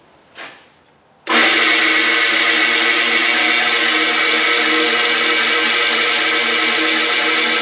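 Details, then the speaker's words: Bandsaw after fitting new tires had alignment off, so the lower blade guide rubbed against the wheel. Spins up to a steady, raspy high hiss and ring. Blade guide rubbing. "the lower blade guide down here was rubbing against this whatever this round thing is called"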